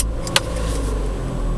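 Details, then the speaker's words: 2008 Ford Fusion 1.6 Zetec petrol automatic with BRC LPG conversion, start-up: deep even rumble settling straight away with no misses or knocks, then switching over to LPG; starts cleanly. "starts up as it should and uh foot on the brake it's just clicked over to gas so it's now running on LPG"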